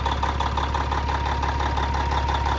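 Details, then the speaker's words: 1994 Peterbilt with old Caterpillar diesel (electronic E version, not B) at an auction yard: steady low rumble with an even, unhurried beat and a faint whistle on top; idles smoothly, nothing amiss. "God, it still sounds good though. You can't beat these old cats."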